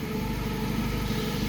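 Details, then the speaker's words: Clark forklift with Hyundai Theta engine, sometimes hard to start and hesitating under load, MAP sensor being scoped: just after start the idle sounds uneven and lumpy with an unsteady beat; rough idle, cause not yet known. "okay it's running let's crank it yeah it's rough okay"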